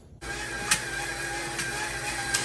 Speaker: So you can hear that the pump is getting a little more intermittent. It's getting really low.